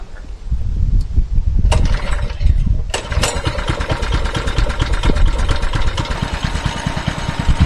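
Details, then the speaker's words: Mini bike that stalled on throttle, now with the governor spring removed: a few cranking pulls, then it catches and keeps a steady rapid putter; this largely fixes the stalling, though the carburetor still needs replacing. "Fix it pretty well, but the carburetor definitely needs to be replaced eventually."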